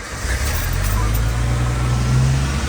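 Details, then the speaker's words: Vehicle with 250,136 on the odometer, in neutral, not fully cold start, had been idling near 2,000 rpm: it settles into a fast, steady drone, about 1,100 rpm, still slightly high. "see if we got a count for that 1100 well that's slightly higher than what it probably should be but that sounds good"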